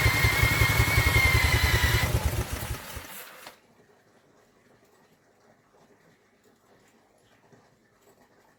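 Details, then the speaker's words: Vintage Douglas engine, start attempts after 40 years under a hedge, carburettor jets re-cleaned, spun with an electric drill, mixture being adjusted: it chuffs unevenly about three seconds, stumbles and dies; intermittent firing, cause not confirmed. "definitely tried to go there didn't it it definitely ran keep going all right I think this is going to be a temperamental engine"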